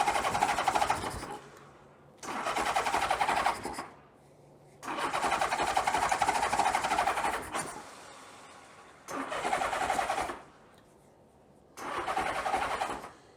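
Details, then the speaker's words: 1982 Honda GL1100 Goldwing on first start after single Solex-type carburetor conversion, choke and fuel cutoff wired: starter cranks in roughly two-second bursts, quick even turnover, never catches; owner wonders if it is over-choking. "I wonder if we're over choking."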